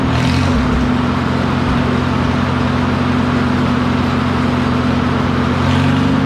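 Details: McCormick W4 tractor after building new ignition wires with separators and fitting new spark plugs: loud steady low-pitched engine drone, even firing with no misses or popping; the old tractor runs smoothly on fresh plugs and wires.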